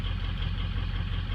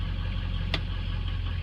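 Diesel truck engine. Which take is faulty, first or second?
first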